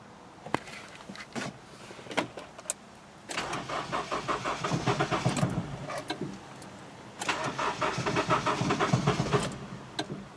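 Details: 2000 Honda CR-V after new battery, fuel pump, fuel filter and distributor: two spells of steady starter cranking at a normal rate, but the engine never catches or fires; crank, no start.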